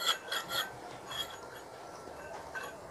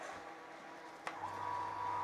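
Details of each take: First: Monoblock (Tullu) water pump motor with its shaft turned by hand: dry rasping scrape in uneven bursts from the rear/lower bearing while the front bearing is quiet; worn motor bearing, to be replaced. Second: Monoblock (Tullu) water pump motor after bearing and seal replacement: switches on into a quiet, even hum with no grinding or rumble; bearings healthy, running like new.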